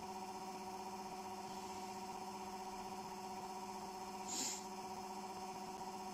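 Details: Homemade generator with nanocrystalline cores, spinning off load: a steady low hum with clear overtones and a faint pulsing beat. The owner attributes it to the magnetic field resonating with the core material, a harmonic that locks the RPM.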